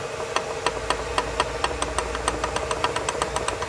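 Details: GM 1.4 engine at idle with oil pan removed: sharp, regular knocking about four times a second, a deep bottom-end rap; worn connecting rod bearing found on the crankshaft.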